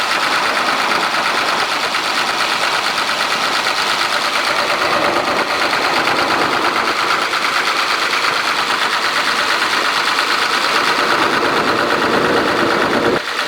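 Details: Komatsu diesel engine with low power, high vibration and white smoke: rapid, fairly steady knocking at about two per second over a harsh run; source not pinned down.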